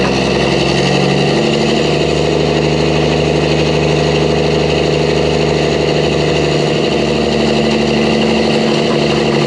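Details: Mack truck diesel after engine reassembly with new parts, around the road test: deep, steady note with an even beat and no knocks or misses; runs smooth, normal running.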